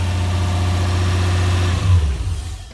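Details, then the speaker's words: Lexus LS400 (Celsior) 1UZ-FE VVTi V8 started from dead cold after VVTi repairs and a leak fixed: deep, steady idle, smooth and even with no misses or knocks, settling quieter; much better. "I'll show you what it sounds like when we start it from dead cold this morning."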